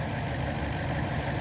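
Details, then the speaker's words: 2012 Toyota Corolla with a lumpy idle that drops a pulse every few firings; customer complaint is rough running; the number three coil was found faulty, and the coil and all four spark plugs were to be replaced: misfire at idle. "okay just reconnected my mic and our misfire persists and there it is"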